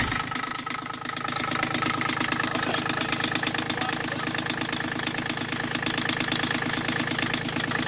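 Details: Yanmar 3GM diesel in Hunter 35.5 sailboat after throttle cable replacement: brisk even clatter about three beats a second, idle set too high; later backed down to just under 800 rpm.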